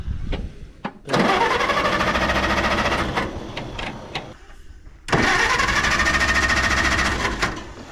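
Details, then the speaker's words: 1960 International tractor: two long cranking bursts with steady starter whine, never fires; it had started, ran, then died, possibly no gas; cranking no-start. "It started up, it was running, and then it got just gas died. in it? I don't know if it's got gas in it."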